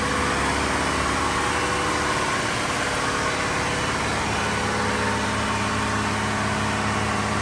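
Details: Diesel fire sprinkler pump on weekly half-hour test run, isolation valve closed, system on test; loud, constant even churning drone with no knocks or surging, normal running.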